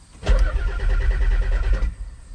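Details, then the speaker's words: Turbo 300ZX (Z32) after months of sitting: the starter spins evenly but the engine never fires. The fuel pump gets a prime signal but does not prime or hum; owner wonders whether the ECU or the wiring is at fault. Crank, no start, dead fuel pump. "Only thing is is when you leave the key out and you go to turn it, you don't hear anything at all. So, what I'm starting to wonder, is our ECU bad or is it something back here? Cuz I don't hear the pump kicking on at all."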